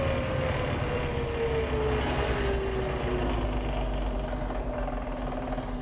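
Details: Suzuki Jimny fitted with an SJ413 transfer case with 4.16 super-low gears: a steady whine under the drive rumble drops in pitch as the vehicle slows; the owner suspects the transfer case or a shaft.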